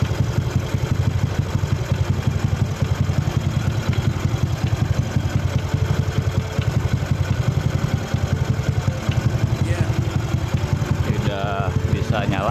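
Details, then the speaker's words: Yamaha Aerox 155 with swapped engine block, just fitted KTC 10-hole 160cc injector replacing R15 v3 injector: even, steady idle with intake hiss from open air filter; wiring and hoses correct, idle speed right, running normally. "Dan selangnya juga baik-baik saja. Putaran idle-nya juga pas."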